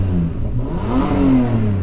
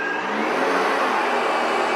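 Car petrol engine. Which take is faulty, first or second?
first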